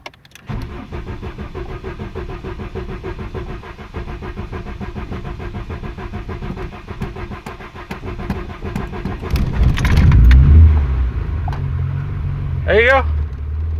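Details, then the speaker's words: VW Mk2 GTI with CIS continuous injection, sat over a year; key cycled about ten times to prime fuel pump and build pressure; slow, uneven cranking drags several seconds while air bleeds from injector lines, then catches and settles into low steady run. "a while to get started once it bleeds all the air out of the air the lines of the of the injectors because there's continuous injection"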